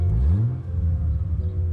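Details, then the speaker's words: Chrysler Crossfire with a partly redone, lightly muffled exhaust: a deep, uneven rumble with a slight rev that burbles so the engine's combustion is clearly heard, described as normal for this modified exhaust. "la mienne normal c'est parce qu'elle a un échappement un peu refait et puis des tubes un peu vide du coup était un peu de bruit et elle a tendance à gargouiller disons qu'on entend bien les explosions du moteur quoi"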